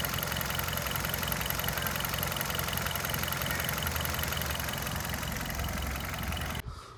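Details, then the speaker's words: Hyundai Verna 1.6 petrol with 34,000 running, well maintained with no leaks. A steady, even idle with no knocks, ticks or misses until it is switched off; the engine sounds normal. "চাওক ইঞ্জিনৰ sound একদম normal sound, কোনো ধৰণৰ একো অসুবিধা নাই।"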